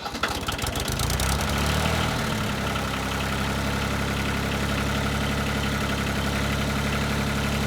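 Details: 1988 Yanmar 336D diesel tractor, unrun for 6 years, restarted after fuel, oil, air filter and coolant checks with throttle at three quarters; brief rough catch, then a steady, even diesel beat at raised idle, no knocks, healthy.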